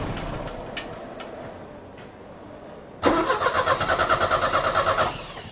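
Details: Euro-spec Mercedes 190E 2.0, 5-speed manual: several cranking turns, then it runs lumpy with an uneven, stumbling beat before dying; misfire from a spark plug. Two plugs were pulled and cleaned, and one is thought completely fouled.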